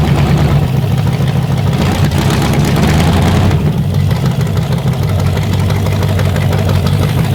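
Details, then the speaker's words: Carbureted Chevy 350 small-block on a test rack, first fire-up before warm-up, timing set on the fly: a deep, steady, even V8 rumble with no misses or knocks; a healthy idle. "That thing ran good. I had that timing set damn near perfect on the fly, so I'm happy with that. That sounded healthy."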